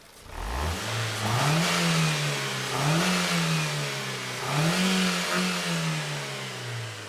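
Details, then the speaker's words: 2002 Ford Focus 1.4 petrol with codes P0304 (cylinder 4 misfire) and P0420, after the fix: engine picks up cleanly through three quick blips and drops back smoothly, no stumble; sounds far better. "but it does sound a million times better"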